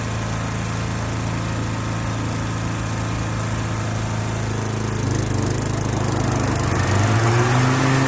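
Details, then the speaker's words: Lawn equipment cold start for spring, with the blade-engagement cable still a little tight. Steady, even run with pitch climbing smoothly as it revs and no squeal or slap; belts and engine sound healthy, normal running. "Cable's still a little tight, but the cable on the blade engagement, but it sounds like all the belts are still good without taking it apart to look at it. Everything sounds solid."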